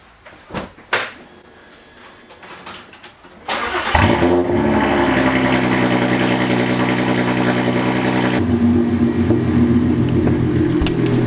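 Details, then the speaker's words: VW Passat R36 estate with newly installed air ride: compressor kicks on with a steady, even-pitched buzzing drone while filling the empty air tank before lifting the car; normal, healthy air suspension compressor running. "so it's currently as you can hear it's filling the air tank which means in a couple of minutes it should be in the air"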